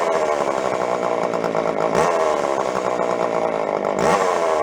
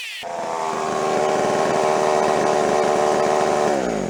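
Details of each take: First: Jonsered 510 two-stroke chainsaw from a yard sale, revived after sitting and before carb adjustment. It buzzes unevenly, with revs surging and dropping every couple of seconds; it runs rough and won't hold speed, and the carb tuning is about to follow. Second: Jonsered 510 two-stroke chainsaw after revival, cold start: catches on one pull, revs to a clean steady high buzz with no misses, eases down smoothly; normal running.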